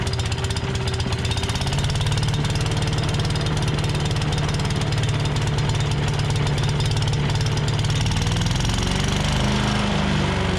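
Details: Tecumseh 5.5 hp single-cylinder on a long-sitting yard-sale MTD Yard Machines chipper/shredder, started with two-stroke mix in the carb throat: quick steady chug holding speed without surging or dying, running on its own fuel.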